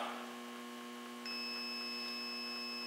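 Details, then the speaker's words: Automotive relay energized by battery charger, multimeter continuity test across contact terminals: low mains hum, then steady high continuity beep that holds; closed contacts passing current, relay working. "and you can probably hear that audible tone and the resistance going through the relays on the screen that proves to us that our relay is working"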